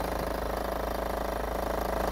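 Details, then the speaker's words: Suzuki SX4 1.6 diesel (Peugeot 1.6 HDi-derived DDiS 120), bought at auction, idling; fast, heavy, coarse throbbing rumble: abnormal engine noise, cause not yet identified. "Je vais vous faire écouter le bruit moteur. On l'entend ça ronronne sévère."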